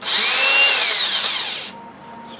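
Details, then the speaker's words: Used Makita BHP452 18V hammer drill, dirt-clogged, on a weak battery before restoration: high gritty whine with wavering tones spinning up and coasting down; doesn't sound right, gearbox clogged with dirt, later cleaned and regreased. "this one doesn't sound great so I'm going to figure that thing out"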